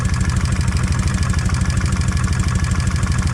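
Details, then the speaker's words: Kawasaki Vulcan 1600 V-twin, warming up after a bolt was drilled through to increase oil flow to the rocker arms: steady idle with a light, even tapping of about two per second; noisy lifters suspected, quieter on this side than the rear. "Sounds like I can hear some tap, but it's not as bad as it is on this rear."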